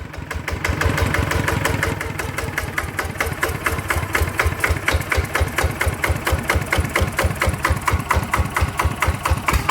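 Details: Second single-cylinder ET diesel (ET95/ET110 pair) test-run after refit for water pumping: steady even thumping at around two beats a second, no misses, knocks or rattles; runs acceptably, though non-DI engines pull less at low rpm.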